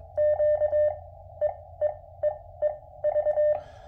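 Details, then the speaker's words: QMX transceiver, firmware 1.00.017, CW on 20 m into a dummy load through a powered external speaker. Keyed tone near 600 Hz with a faint dull thump at each key-down and key-up, same at 2–6 W. Key clicks on sidetone; 20 m is least affected, worse on lower bands. "I don't know if a long qso would become irritating with that thumping or not but that's 20 M and that's the uh least affected band"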